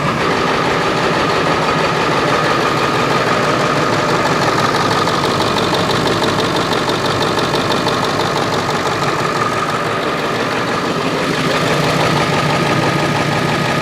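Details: Ford 7.3 Powerstroke diesel after its oil cooler was resealed and reinstalled, with fresh oil and coolant and air still being bled from the cooling system. Even diesel clatter at a steady idle, about three beats a second, with no misses or odd knocks; a healthy idle.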